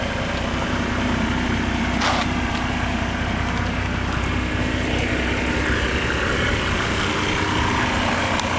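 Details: 1987 Mercedes-Benz 300D diesel before the muffler swap, on the old factory muffler and silencer: steady idle clatter with an even rhythm and no misses or knocks; healthy idle.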